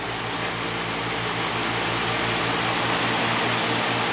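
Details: Patton 18-inch high-velocity fan on high speed, motor never re-oiled (original lubrication), low amp draw: a steady rush of air over an even low motor hum with no rattle, scraping or wobble. Running normally.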